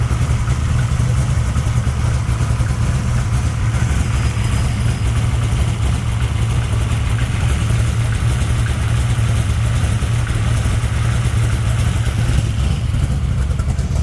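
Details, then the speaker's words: 1964 Dodge Gasser V8 with stroker rocker arms fixed, lash set at a loose 0.017 in cold, warmed to about 130 degrees: deep, even idle with steady lope, little valvetrain rattle; normal idle. "Well, as you heard, it's running again, so sounds good. Not a lot of rattle."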